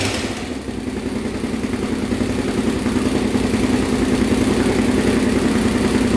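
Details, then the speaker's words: Honda 400EX big bore 416cc with newly installed stage 2 Hotcams cam and 158 main jet, first start: single thumps at steady idle with light even cam tick, considered normal; started right up, timing correct. "you can hear the ticking on the cam but that's normal everyone says so started right up no issues there"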